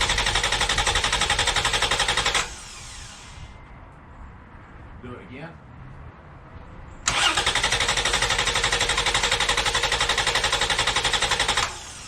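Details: 2011 Toyota Tacoma 4.0L V6 with factory battery disconnected, cranked off an AstroAI S8 Air jump starter (1500A peak) in a five-crank test: strong, even cranking at roughly four beats a second, two bursts with a pause, normal healthy cranking.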